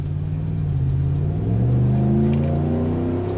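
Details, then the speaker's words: Truck with newly built replacement driveshaft, driving at 70–80 mph: steady low road drone, smooth engine pull, no hum or vibration; normal at this speed, though a rumble-strip-like hum returns around 67–68 mph. "It seems to be doing all right. That was 80 miles an hour. I got no hum up here at 70. It feels fine. No vibration whatsoever."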